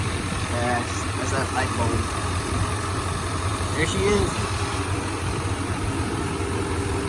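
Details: 1995 Chevy K1500 Silverado with newly installed 355 TBI V8, no cam, only three miles on it, hood open: steady, even low rumble with no knocks or misses, no leaks, running smooth; normal idle.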